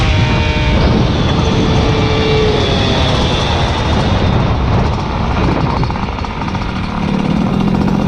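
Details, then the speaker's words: Peugeot 103 moped with 70cc Malossi air-cooled cylinder on a test ride: small two-stroke screams high and buzzy and runs out of revs quickly; final drive gearing too short, 13-tooth sprocket recommended. "Oh boy, that gear is fucking short. Use the 13 for sure."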